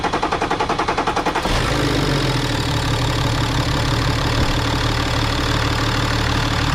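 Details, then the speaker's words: BMW X5 N57 3.0L diesel being checked for rising oil level from leaking injectors; reassembled, lines tightened, started without bleeding: about 1.5 s of rhythmic cranking, fires, settles to a steady, even idle; normal start and idle. "Normalement ça démarre bien là-dessus, la pompe elle est vachement grosse, donc elle débite bien, et normalement ça démarre direct."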